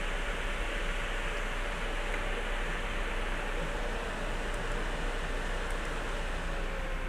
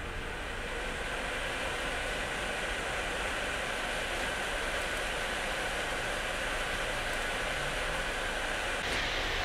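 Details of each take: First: Rear fan of an Asus Strix GTX 1080 graphics card after lubricating its sticking bushing, fan speed raised to about 80%: smooth, even rush of air with a faint steady hum and no ticking or rattle; fan running normally. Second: Asus Strix GTX 1080 graphics card with a worn bushing slowing the rear fan: loud steady airy rush as the card drives the other fans to maximum to compensate, which risks wearing them out; fans at full speed.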